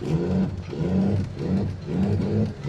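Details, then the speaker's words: 2nd-gen truck idling extremely high with no codes and coolant temp reading -47. Under light throttle the revs swell and sag about every second and never hold steady, an extremely touchy throttle. "Get a load of this. This truck has the touchiest throttle I've ever felt."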